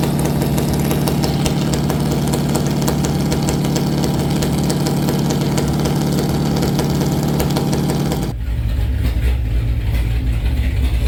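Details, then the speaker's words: Stock 440 Mopar big block V8 with a very large cam, idling about 700-800 rpm: loping uneven idle with an irregular stumble; slight misfire at idle, suspected from bad spots in two plug wires (possibly idle too low for the cam), new wires planned. "We think the one plug wire had a little bit of a bad spot in it. Actually, two of them did. We're gonna put new plugs on or new wires on it, but we think that's why it's misfiring."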